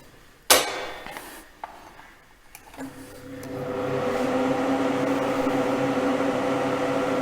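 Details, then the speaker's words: Inexpensive duct fan on a homemade test stand, before any grille is fitted: a click, then a steady airy rush of wind swirling through the duct over a slight motor hum. The fan is running normally. "Шум ветра, воздух бежит по каналу, шелестит, скажем так, завихряется, шумит. И плюс звук от работы мотора вентилятора. Вентилятор недорогой взял, поэтому он слегка гудит, и его немножко слышно."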